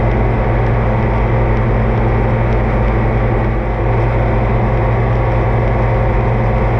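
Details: Oliver 2255 front-wheel-assist tractor on a test run after an oil service of engine, transfer case, front axle, rear end and hydraulics: a steady, even diesel chug with a deep low rumble and no knocks or misses. Normal running; owner says everything done is fine.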